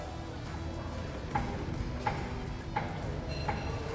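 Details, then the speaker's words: VW Amarok with vibration and suspension clunk complaint: sharp metallic clicks about every 0.7 s as the tyre is rocked by hand, excessive play in the steering box that also moves the tyre. "olha só que folga absurdo olha lá Eu fiquei em silêncio para você ouvir a folga e o barulho"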